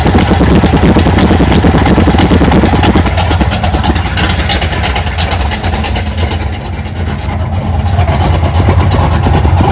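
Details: 1980 Sierra C15, junkyard L31 Vortec 350 (130k-mile pistons/rods, 9.5:1), Summit K1107 .488/.510 lift cam, Performer RPM intake, 600 Holley, Flowtech headers, Thrush turbo mufflers; cold start: loud, choppy idle loping about three times a second with occasional revs from big cam; mic clipping.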